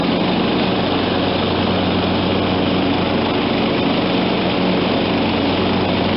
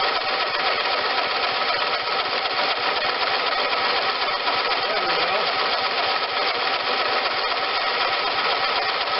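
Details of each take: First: John Deere LT160 automatic lawn tractor, Kohler Command 16 hp, 42-inch deck: steady, even engine drone at constant speed with blades engaged, no misses or knocks; running healthy after carb, fuel and deck work. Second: John Deere LT160 automatic lawn tractor, Kohler Command 16 hp, first start since acquired: hard steady high-speed roar never dropping to idle; sticky governor rod jammed carburetor at full throttle.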